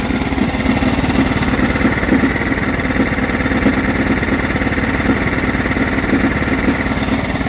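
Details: John Deere STX38 lawn tractor, Kohler 12.5 HP single-cylinder: thump with irregular slapping knock about twice a second while running; sheared flywheel key throwing timing off, later replaced with a new key.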